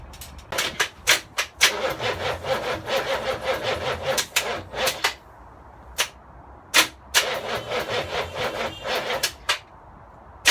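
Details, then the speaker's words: V8-converted Land Rover Defender, first start attempt with no exhaust: sluggish, labored cranking in stop-start bursts without catching; battery supply seems insufficient and the negative lead was smoking, so slave batteries are planned. "Battery is not sufficient."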